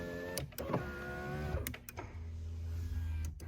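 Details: 1993 Chrysler Fifth Avenue power window: steady electric motor hum, running smoothly with switch clicks between short runs. Rear windows don't work from the driver's switch; power distribution fault suspected. This window operates normally.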